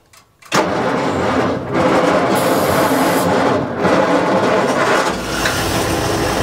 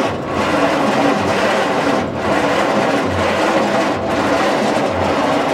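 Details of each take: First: 1940s Bay City Model 30 crane/dragline engine, idle over a decade, started with starting fluid: catches and settles into steady rumbling run with a few speed surges as throttle is opened; later shows 40 psi oil pressure. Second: 1940s Bay City Model 30 cable crane/dragline engine, unused over a decade: slow laboured cranking about one turn per second, never catching; 6-volt starter turns too slowly, starting fluid suggested.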